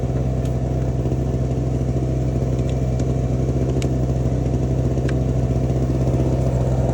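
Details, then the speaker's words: Small two-stroke Chinese generator of unknown history (label 1000 W peak, 850 W rated), freshly adjusted, feeding a power supply charging batteries at 10 A, about 350 W: constant even buzz at one speed, no surging or misfire; healthy running under load. "my batteries are mostly charged well that says we're getting 10 amps out 350 Watts"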